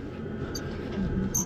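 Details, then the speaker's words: Volvo FH truck cab squeak heard from inside under the panel. Driver first suspected the sun visor, then found it seems to come from a cab shock absorber, not confirmed. Two short high chirps about a second apart as the cab rocks, over a low rumble. "Внутри что-то там под панелью пищит я думал может быть козырек пищит"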